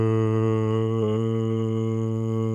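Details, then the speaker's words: Toyota hybrid e-CVT: the engine holds a flat, unchanging drone at one pitch with no rise or drop from gear changes; it can sound like a slipping clutch but is normal for this transmission. "La primera vez que lo oí fue como, un, "Oye, el embrague que no existe debe estar patinando o algo así." Suena mal."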